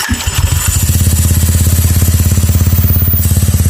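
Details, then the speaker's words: Honda Click/Vario 125 with aftermarket direct dry clutch, thicker spacer making it noisier: quiet at first, then fast, even metallic rattle about seventeen beats a second once the belt grabs; normal dry-clutch chatter. "Sa una, medyo hindi pa siya maingay. Pero pag kumakapit na yung belt, solid yung ingay niya."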